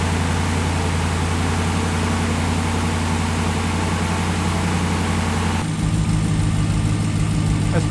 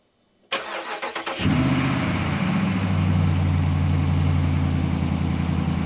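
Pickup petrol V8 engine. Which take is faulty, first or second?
first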